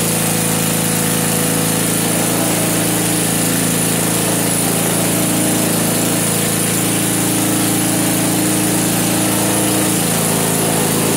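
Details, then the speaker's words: Vintage snowblower small engine, just started with the choke partly off: holds a steady, even drone with no misses or surges; normal running. "all right that doesn't even sound too bad no kidding well that might be all right"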